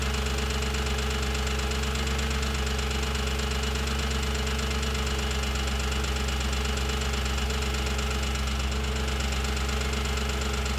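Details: Audi B7 S4 V8 idling, recorded up close with a stethoscope: fast, sharp, loud ticking over a deep, steady hum. It seems to come from the rear of bank 1, loudest near the cam adjusters and the cylinder 4 valvetrain.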